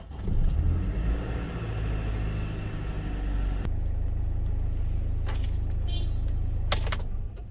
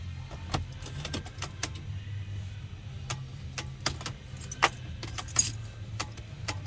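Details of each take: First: Mercedes Sprinter after replacing the electronic steering lock and the relays, codes cleared: key turns and the engine catches instantly, settling into an even deep idle with no hesitation; normal start, no fault codes. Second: Early Mercedes Sprinter (2007–2018 range) with intermittent no-start: uneven clicks and key rattle over a low buzzing whir as the electronic steering lock (ESL) motor fails to release.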